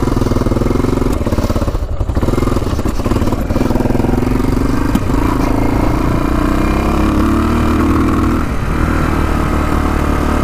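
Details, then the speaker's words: Yamaha XT500, sat over 20 years, fresh oil and cleaned carburetor: loud single-cylinder thump, ragged and sputtering, won't rev out; owner suspects air box restriction or plugged exhaust pipe. "all right so it was kind of sputtering and not running the greatest when i was taking for a ride i think it might be due to the pipe"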